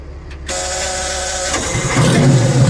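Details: Detroit Diesel in a vintage abandoned GMC truck after the spring-loaded emergency intake shutoff valve on the back of the blower, found stuck shut, was reopened; catches after short crank, strong even diesel clatter building steadily; running properly now.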